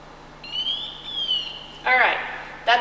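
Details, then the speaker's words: Scott Air Pak SCBA maintenance check, PASS alarm test 1: pack held still about twenty seconds and the PASS device goes into pre-alert as it should, with bright high warbling chirps rising and stepping, then short bursts. Normal. "now I'm going to hold this tank nice and still for about twenty seconds and the pass alarm should go off into pre alert mode"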